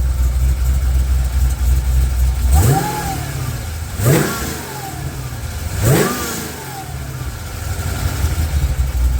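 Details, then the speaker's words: Charger idling with three short blips. Each brings a rising chirp that swoops up and fades with the revs: the drive belt singing (squealing) when revved. "You can hear that belt singing when you give it the"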